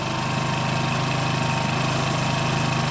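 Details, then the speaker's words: Piaggio Fly 125 scooter, just started and not revved: even, steady putter at about four beats a second with no knocks or misses; the small engine idles smoothly and sounds normal. "i haven't revved it i don't want to overwhelm it that sounds normal to me guys to me that sounds normal"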